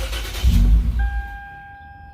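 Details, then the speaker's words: Lexus IS350 cold start after battery disconnect (throttle relearn mode), intake-to-throttle-body coupler found disconnected: engine catches with heavy low rumble, stumbles under a second and dies, chime remains. "The RPMs were really low, and then I tap on the gas and it turned off. And then after that I tap on the gas a little bit and it would just die. It would try to die."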